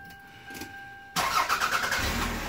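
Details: 1998 Toyota Camry with prior no-start from fuel pump wiring resistance, after wiring in a new plug, voltmeter on pump circuit: short crank, quick catch, steady idle without stumbling; starts cleanly.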